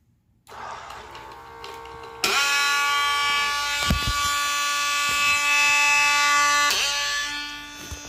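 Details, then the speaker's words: Ice maker in Clean Cycle, calling for the auger motor; the gear teeth appear to have been burned loose. A steady electric motor buzz holds with no sound of movement; the motor spins but the auger doesn't turn because the gears are jammed. "motor spinning now but there is no movement on our augur because the gears are jammed up"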